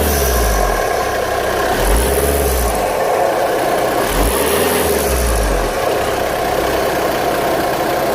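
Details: VW Golf 6 2.0 TDI: rough grinding rush with a thin whistle on each throttle blip, fading as revs drop; also smokes white-grey under acceleration, uneven power, shaking at idle; cause unconfirmed.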